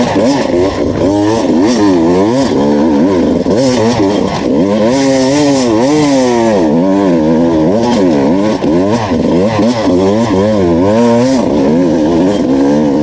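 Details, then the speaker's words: 2019 Beta two-stroke enduro test bike on a Finnish enduro track, wailing and surging constantly with revs climbing but no added pull. It failed to climb a hill in two laps; the clutch was slipping under load. "As you can hear from the footage, the bike screams all the time. I struggled to get 2 laps done with the bike, and it almost like stalled on that, or not stalled, but didn't climb the hill. Yeah, that's clutch slips in this test model."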